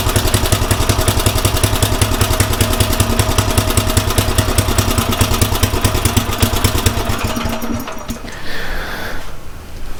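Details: Craftsman rototiller after fitting a new carburetor, in neutral at full throttle: steady, strong petrol engine drone holds for several seconds, then settles lower near the end; runs evenly and sounds healthy.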